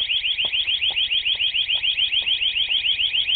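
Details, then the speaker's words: New exterior 12V siren/strobe home alarm after a slow arming delay: loud, high siren warbling rapidly and evenly at about three and a half sweeps a second with no dropouts. Siren working normally. "Took a while, but it worked."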